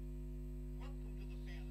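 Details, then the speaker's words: Arcade bartop with cheap 12V car amplifier: constant low unchanging buzz, interference when the audio connectors are touched; mains hum entering the amplifier, possibly a grounding fault. "Can you hear the interference that I'm getting?"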